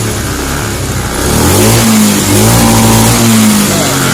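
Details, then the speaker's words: Honda Scoopy fuel-injected scooter hesitating on initial throttle, TPS being repositioned with engine running: revs climb then sag and stumble twice; hesitation on acceleration from misadjusted throttle position sensor. "Oke, kita coba hidupkan nih. Oke, bentar. Ini masih berebut ya."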